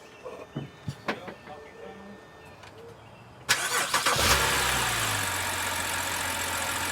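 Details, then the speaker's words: 2010 BMW X5, towed in from another shop with a no-start, after repair: repeated restart, brief crank, engine catches at once, flares and drops to a smooth, steady idle; starting normally. "It sounds good. It sounds good. Start it. Perfect. Start it one more time."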